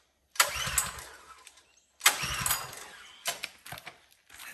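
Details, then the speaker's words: Pull-start power washer engine, choke on, fuel on, plenty of oil and clean filter: two short cranking bursts then weaker turns, never fires; cranking no start, suspected no spark, unconfirmed. "Sounds like it isn't getting any spark. Plenty of oil. Choke is on. Fuel's on. Filter's clean."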